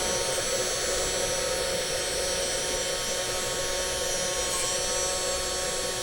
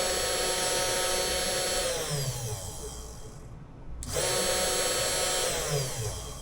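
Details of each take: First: Cheap ANNOY TOOLS CNC milling machine with a 500 W spindle, apparently fixed at 12000 rpm: high, steady whine at one pitch with no rattle; the owner worried about the sound, but the spindle runs smoothly. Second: Cheap Amazon CNC milling machine spindle spinning, apparently fixed at 12000 rpm; high whine with gliding tones dipping and recovering under load, sounding rough and worrying; abnormal spindle noise, cause unclear, sound later improved considerably.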